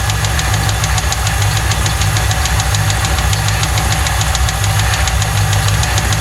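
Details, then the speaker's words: 1995 Lincoln Mark VIII 4.6 4V Ford V8 at idle, first start after a dealership timing-set job; it arrived with no oil and a non-original filter, and the noise was reportedly absent before. A sharp, steady metallic knock keeps time with the idle: rod knock. "Sadly, this story doesn't end well. It sounds like it's got a rod tapping in it."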